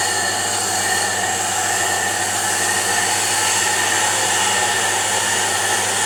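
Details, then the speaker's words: Diamond grinding wheel on a D-bit/single-lip cutter grinder after dressing: steady, even cutting hiss with no intermittent contact; the wheel now runs true, generating a flat surface. "you can hear it not cutting intermittently now it's already running true wow look at that surface it's running true and it's beautiful"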